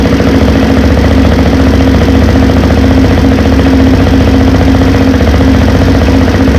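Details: Honda 400EX single-cylinder engine first start-up after a top-end refresh with valves adjusted: loud but even thump at a steady idle, no knock or miss; normal idle.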